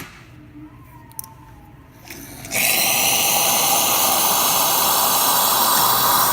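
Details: Pasquini espresso machine after repair (clogged boiler-to-valve hot water assembly soaked in citric acid, bolts tightened, group screen and gasket replaced, descaled): soft pump hum then strong, steady hiss of water and steam without sputter; hot water dispensing normal.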